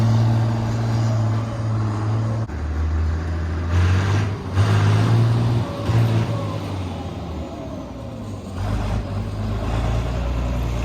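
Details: 6060 tractor with loader, started with a little ether, driven off a trailer: deep, even diesel rumble lifting and settling smoothly with throttle, no misses or knocks; strong power, no blow-by; normal running.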